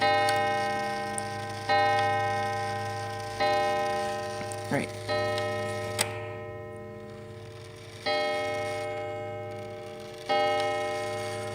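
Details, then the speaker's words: Mechanical clock after cleaning pivots and oiling (previously graphite-lubricated, pivots going oval): even unhurried ticks about every second and a half with light ringing tail; running normally, sounding better. "see how it sounds a little bit better"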